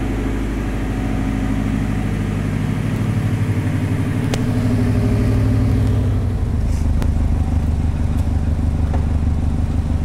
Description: My STi-swapped 2004 Forester has developed an exhaust leak from having no hangers on the back half of the exhaust, and the cat cracked.